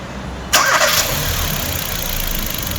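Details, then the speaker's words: 2016 Hyundai HB20 1.6 sedan at its 130,000 km service, engine just washed: a brief crisp crank, then it fires at once and runs smoothly. Normal start; battery good, starter normal, and the alternator load test is OK. "a bateria boa motor de partida normal e o teste de carga também ok"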